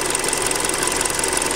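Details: Hyundai Creta at 40,000 km, before an oil change, running on Liqui Moly 5W-30. Fast, even light ticking over a thin idle with no deep knock beneath; a cold-engine clatter, louder than on the factory 0W oil. Cause suspected, not confirmed.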